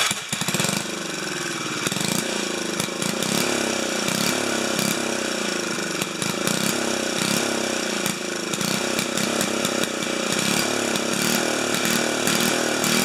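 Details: 4HP horizontal-shaft Briggs single-cylinder engine, muffler temporarily screwed on at a 45-degree angle, running on test: steady, even rasp with crisp exhaust beats, no misses or knocking; sounds healthy.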